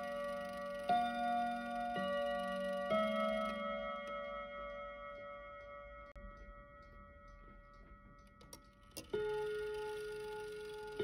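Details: Kienzle Westminster chime mantle clock, unused about 40 years and recently dropped, after lubricating: clear bell tones ring in a sequence not following the proper Westminster order; chime train out of step, cause suspected.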